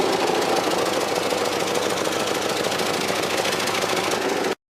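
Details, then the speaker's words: 1995 Cadillac Fleetwood recorded January 2014 with badly rotted mufflers, plus oil and coolant leaks, before muffler replacement: fast raspy puffing chuff over idle, about three beats a second, exhaust blowing out under the car; exhaust leak. "it had very very bad Mufflers it also had an an oil leak and coolant leak so in January 2014 the car sounded like this"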